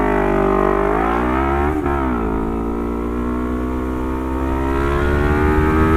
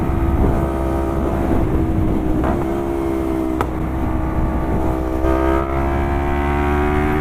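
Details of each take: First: Lexmoto LXR380 single with a full Lextek exhaust system and ECU, baffle out. The engine screams high and steady, dips, then climbs and holds against the rev limiter, which kicked in just over 10. This is a healthy rev cut. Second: Lexmoto LXR380 single with a full Lextek exhaust and ECU, baffle out, and a stock intake. It runs loud and steady with sharp cracks of exhaust backfire every few seconds. The owner thinks it runs a little rich and that opening up the airbox might help.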